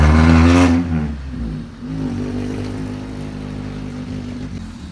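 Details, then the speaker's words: Honda Civic EG with freshly swapped used D16Y8 engine, first start: sharp rev dies back to uneven, faltering idle; sputtering blamed on faulty distributor, owner plans a junkyard replacement since engine ran fine in donor car. "what my plan is is to get another distributor hopefully out of the junkyard another b7 and then I'll just plug it back up and hopefully we'll just run because you heard there at the end like the car runs but it is sputtering a bit"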